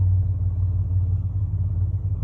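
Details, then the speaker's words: 1996 Chevy 1500 with the 4.3 V6, after replacing a failed mass airflow sensor that read a constant 0.01 and caused start-and-die: deep, even low rumble with no stumble or surging, a steady healthy idle. Fixed. "But there it is. She's fixed."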